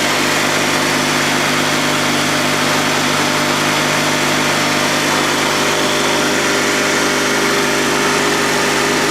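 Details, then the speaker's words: Honda 3813 lawn tractor's Honda GX360K1 twin engine, sat a year and restarted after fuel pump work, running with a smooth, steady, fairly high-pitched hum, even beat, no knocks or rattles; healthy, car-like sound. "tell, it doesn't even sound like a mower engine. These things are so closely related to the Honda car engines, it's no surprise that it sounds like one."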